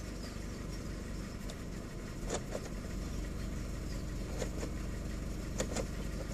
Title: Corsa C rough idle